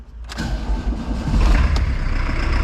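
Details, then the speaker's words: VW Saveiro G1 diesel after restoration, exhaust reinstalled with reinforced fabricated bracket and high-temperature paint, started after glow plug preheat: cranks and catches, settles to even diesel clatter at idle with quiet exhaust; healthy start. "muy bien ahí ya no se escucha prácticamente nada más que bueno el sonido del propio motor gasolero no pero el escape está cumpliendo muy bien su función"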